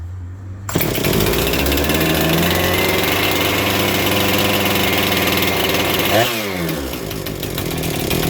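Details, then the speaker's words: Chainsaw on choke with fast idle engaged, trigger untouched, after priming: holds steady high buzzing fast idle, firing evenly without misses; normal, judged to need only cleaning and tune-up. "Choke is still on. Do not touch the trigger. Your fast idle is still engaged."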